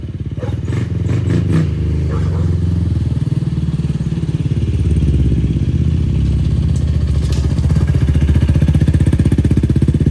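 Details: 2004 Yamaha YFZ450 quad after sitting, carburetor cleaned for a clogged pilot jet and new ignition fitted, on a freshly hooked-up battery: steady low single-cylinder thump, smooth pickup and settling, no misses or knocks; fan kicks on, not overheating. Normal running.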